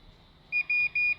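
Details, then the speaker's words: Dead, non-working welding machine being repaired: multimeter gives four quick short high beeps across transistor pins showing continuity; all checked transistors blown and to be replaced with new ones: shorted transistor. "The middle one too. I have to show that they are all blown. They are bad. So I need to replace them immediately."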